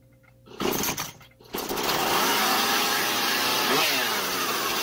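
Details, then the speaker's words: Husqvarna 440 chainsaw two-stroke after carburetor repair, L set 2.5 turns and H 2 turns out: after a couple of pulls it holds a fast steady buzz well above idle; idle needs adjusting via T screw. "Tôi đã nổ máy, nhưng tốc độ nhanh, phải không? Chế độ chạy không tải được điều chỉnh khi động cơ đang bật."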